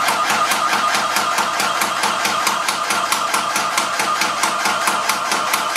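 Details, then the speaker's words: Graco ProStep paint sprayer, primed with paint, pumping up to the set pressure: even, unlaboured clacking a bit over twice a second, healthy pump operation. "It won't come down until you start spraying, and then when it gets to the pressure that it's spraying at, it will start pumping again."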